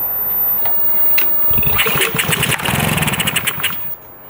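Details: Honda engine on a pressure washer, sat a year over winter, after carb cleaning; test-fire with choke on: one pull, catches and settles into a quick, fairly even putter, a clean start.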